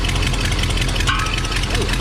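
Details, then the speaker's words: 1978 Ford F100 with cheap replacement parts, idling: rough running with a loud sharp rapid ticking chuff from the exhaust; exhaust leak, manifold gasket possibly needing replacement. "I mean it runs it just sounds awful I mean listen to that exhaust Le that thing is not [Music] good yeah we might have to order a new manifold gasket"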